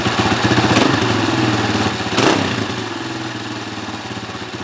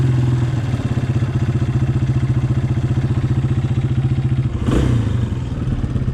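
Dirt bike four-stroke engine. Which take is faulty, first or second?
first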